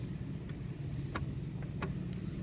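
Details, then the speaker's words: Massey Ferguson 4292 tractor, 12x4 transmission, high/low range: low drone broken by sharp uneven axe-like knocks as throttle is applied and released, from excess gear backlash; fix is adjusting with a new spacer washer, as excessive play can break it. "faz esse barulho a ó parece que tem um machado batendo aí quando você pisa no acelerador dá a folga Tira o pé do acelerador dá aquela folga na transmissão el faz esse barulho aqui ó"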